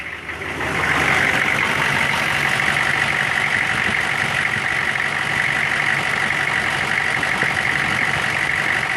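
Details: 1999 Chevy 6.5 diesel idling with a failing fuel injection pump: an uneven, lumpy clatter with a hissy edge. Owner wonders if it relates to the AC electrical circuit or engine load; replacing the pump fixed it.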